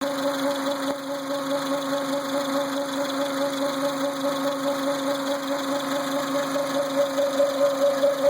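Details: Renault Symbol at idle: steady mid-pitched hum with a higher wavering tone over the engine; power steering pump whine.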